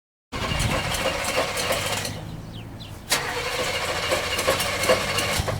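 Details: Demolition derby car being started before the derby: starter cranks for a couple of seconds, pauses, then cranks again, but the engine never catches; crank no start.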